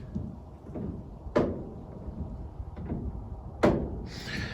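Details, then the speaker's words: Chevy coupe steering, wheel turned at standstill: sharp single clicks every second or two; owner suspects first steering u-joint at firewall, column to be removed for inspection. "i think that click is coming from the very first u-joint as it goes through the firewall and it's just bugging me because anything that comes through your hands when you're driving it's just going to concern you"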